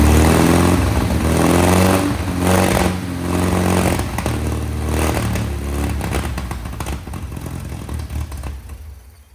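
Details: 1961 VW Beetle flat-four barn find, first start after sitting in a Texas barn, on a 6-volt battery: the engine clatters, revs up and settles back smoothly, with no sputter at higher revs. Revving is normal.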